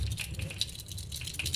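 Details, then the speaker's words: One-door fridge not cooling though lamp lights: compressor overload protector shaken by hand gives a loose, scattered rattle; the bimetal disc inside has cracked and broken loose. "Kalau misalkan ada bunyi seperti ini, udah pasti di bagian bimetal itu sudah pecah. Saya yakin udah pecah."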